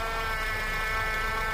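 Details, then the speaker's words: Car with a steady droning hum and constant whine when turning the steering, no knocks; typical of a faulty hydraulic power steering pump. "这个是液压助力泵的问题，或者打方向时咯噔咯噔响。"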